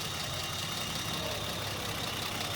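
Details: Engine freshly fitted with Megasquirt engine management, first start before its first drive: steady, even idle with a smooth pulse and no knocks, misses or hunting; normal idle.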